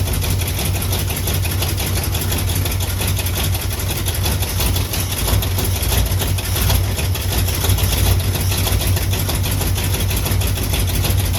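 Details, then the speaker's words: Jeep with AMC 327 engine after exhaust manifold cleanup and new manifold and flange gaskets, cold start at about 30 degrees warming up: steady, low, even idle rumble with no puffing or ticking, far quieter; exhaust leak fixed, though an engine knock is now audible. "It's definitely quiet. You can hear it now. It's way, way quieter."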